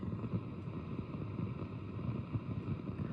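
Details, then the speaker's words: Marshall DSL5CR 5-watt valve amp with all new JJ valves installed, nothing plugged in: low wavering rumble with irregular flutter, same as before, so valves not the cause; owner suspects something else. "And there it is. The same old grumbly rumbly flutter."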